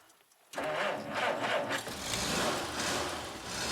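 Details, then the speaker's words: 1947 Dodge on a warm sunny January day, started after days of no-start; owner suspects very damp weather and flooding: catches almost immediately after brief crank and runs steady and even, starting cleanly. "well that's good that started really well"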